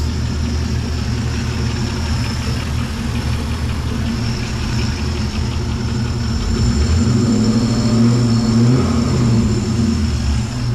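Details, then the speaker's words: Nomad after power steering rack install, first fire: smooth, even low burble at idle that swells cleanly when revved and settles back; engine sounds good, normal running. "First fire. Alright guys, overall success. Engine sounds good."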